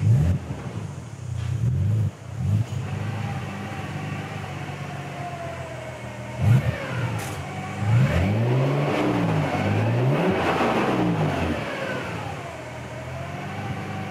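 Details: Nissan 300ZX twin turbo with a new 98+ JDM manual transmission, about 3,000 miles, Redline MT-85 fluid: tonal whine rising and falling with revs, faint in neutral, loud in low gear and on 1st-gear deceleration; noisy gearset.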